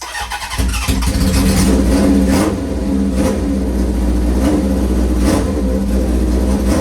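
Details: V-twin motorcycle, choke on, fuel on after a squirt of gas: catches after about half a second, then settles into a loping, uneven V-twin beat with a throaty exhaust; healthy idle.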